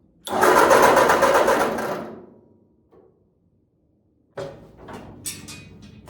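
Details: 1946 Ford 2N tractor fitted with new rings and a new coil: rapid, even starter chugging of about four turns a second that dies away without firing; carburettor and points were later found out of adjustment.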